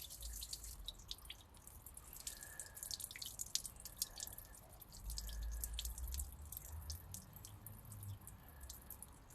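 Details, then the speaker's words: Nissan March Super Turbo on MOT day, engine off, after topping up low coolant: uneven drips and splashes, about three a second, coolant leaking from the timing case; owner suspects, unconfirmed, a failed water pump inside the timing cover. "as you'll see um in the previous little cut there that we have a dramatic coolant leak coming from a timing case"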